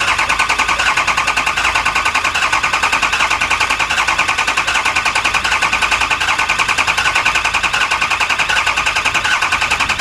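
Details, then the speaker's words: Lifted 4x4 6.0 Powerstroke diesel van, back with a no-start after a Bulletproof repair, cranked for a relative compression test: steady, even beat with no skipped strokes; compression good; mechanic suspects a pre-existing cylinder two injector problem. "well our relative compression is good we're probably gonna find number two cylinder is damaged from the injector that was replaced before it came to us"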